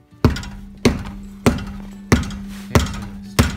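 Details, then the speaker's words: Brake dust shield right behind the rotor, rusted and hitting the rotor, gives a brief tinny rattle each time the wheel is struck while hands are placed on parts to find it; fix is zip-tying the shield to the knuckle. "so this is the looks like the shield that's right behind the rotor and that's what's rattling"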